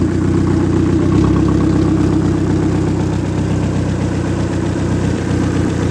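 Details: Ex-race Neon four-cylinder on a floor test stand, warming up: smooth, even hum with steady firing rhythm, no knocking or tapping; no coolant bubbles, compression 180/180/175/180 psi, great oil pressure, a healthy engine.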